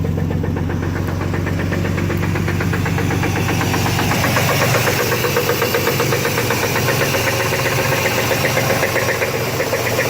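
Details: 1991 Chevy S-10 V6, just bought, knocking noise at idle; owner unsure if flywheel or engine: steady, sharp knock about four a second over a low engine rumble.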